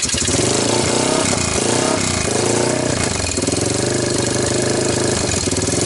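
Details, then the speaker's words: 1998 Honda TRX300EX ATV after previous owner's engine rebuild, valves checked: loud single-cylinder thump that bogs and lags when throttle or choke is changed; hesitation, owner suspects cam timing chain one tooth off, not confirmed. "it seems like when I give it gas it like you know thinks about it even you know when I click to choke up a notch it seemed to think about it"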